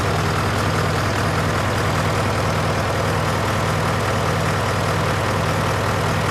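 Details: John Deere 401C diesel at low idle in neutral, with a cracked block and suspected liner O-ring leaks. Lumpy, uneven beat about 100 a minute, missing a pulse. By touch, cylinders 1–3 are hot but 4 is stone cold: a dead cylinder misfire.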